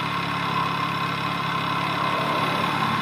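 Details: NOS 2014 MV Agusta F3 800 with lumpy, uneven low-rpm running and a flat drone; the ExUp exhaust valve in the canister stopped opening and closing properly, so the bike runs rough; replacement planned at the 7,500-mile service.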